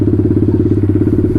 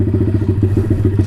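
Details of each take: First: Taotao DB17 125 single after carburetor upgrade, running without choke: fast even idle about ten beats a second, too high; idle screw then turned down to a good idle. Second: Taotao DB17 125 dirt bike after a carburetor upgrade replacing the tamper-proof carb, idle turned down, choke fully off, idled for a while. Quick, even single-cylinder putter with no misses or hunting: a normal, clean idle.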